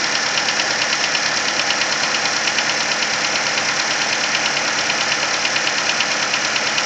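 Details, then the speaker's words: Nissan Versa cold idle: sharp, steady top-end tapping about three per second from around cylinder 3, more prominent as revs drop, lasting the first 10–15 minutes until warm; cause unknown. "And specifically hearing it coming from cylinder number 3 or that area. And the noise will continue for the first 10-15 minutes of travel until the engine warms up."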